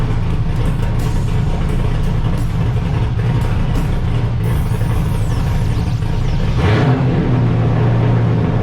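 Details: LS1 V8 swapped into Honda S2000, first run after emailed tune fixed earlier tuning trouble: deep steady idle rumble, brief blip settling smoothly, no knocks or misses.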